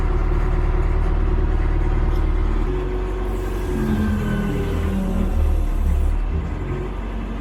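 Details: Cat 215 excavator diesel after brake seal replacement and refuelling: steady low drone with even beat at idle, no knocks or misses; running normally.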